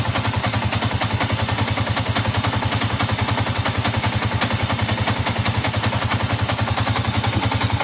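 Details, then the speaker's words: Older Yamaha MX King 150 after a major engine service (previously smoky, hard shifting, stiff clutch, rough engine sound), first start after reassembly; steady, even single-cylinder idle, regular low beat, no knocks or rattles; smooth and healthy. "nah ini udah nyala motornya ini Alhamdulillah suaranya halus ya Nah ini suaranya halus ini tinggal kita diamin aja"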